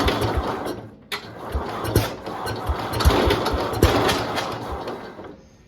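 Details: 1971 IH Cub Cadet 126, revived after sitting for apparently decades, with battery charged and fuel lines reworked; it starts on choke and the single-cylinder engine chugs unevenly with a lumpy, hunting beat. Owner says it might need tuning. Finding: rough running.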